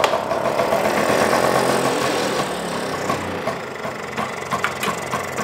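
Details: Vespa with breaker-point ignition at spring service check: fires up straight away and settles into a quick, fairly even two-stroke putter around four beats a second; starts very well, healthy idle.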